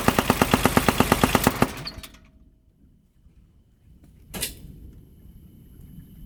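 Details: 2007 Kubota RTV900 diesel UTV, noise came on suddenly while riding: rapid heavy metallic clatter about ten knocks a second, then the engine cuts out; owner fears rod knock, fan also found wobbly; cause not confirmed.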